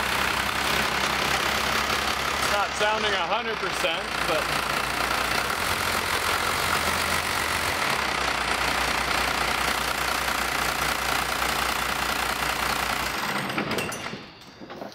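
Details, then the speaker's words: 1985 Dodge Ram W350 crew cab dually with swapped 5.9L Cummins 12-valve diesel, first start: loud uneven clatter at idle with irregular knocks, running rough; owner plans to adjust injection pump timing and crack injectors. "well that's good anyway at least it runs I know it runs it doesn't R sound good but it hasn't ran for a number of years I think"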